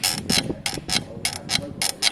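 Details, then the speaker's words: Gilera DNA scooter rear brake: sharp, high-pitched scrape pulsing about three times a second with wheel rotation, a dragging rear brake to be taken apart and checked. "And yeah, so at the moment we're just looking at the rear brake, because it's well, listen, when a rear brake's making this noise,"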